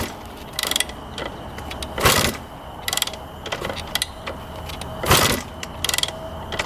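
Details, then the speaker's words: 1991 Honda CR250 non-starter, fuel on and choke on: separate ratcheting kick-start strokes with no pops or backfires. It cranks but won't start; owner suspects it is flooded or has no spark. "it's either flooded out or it's not getting spark it sounds like cuz it's not even popping over backfiring nothing"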